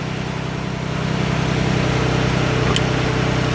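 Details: 2011 Ford F-150 4x4 with 3.7 V6 idling smoothly and evenly, about four pulses a second, with no grinding or knocks, after replacing a flywheel whose damaged teeth made the starter grind occasionally; normal idle.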